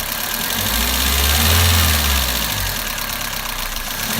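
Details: Toyota Avensis 1.8 at idle, noise under valve cover: fast light ticking about three per second from top end; exhaust valve clearances found enlarged, 0.60 and 0.40 mm; fixed by adjusting with thicker tappets.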